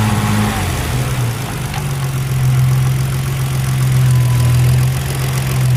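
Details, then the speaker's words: Freshly rebuilt Nissan RB26 engine, 9.0:1 compression with CP pistons, N1 oil pump, first start with exhaust fitted: steady deep idle with even low rumble, no knocking; builder says it runs and sounds good. Healthy. "She's running good. Sounds good."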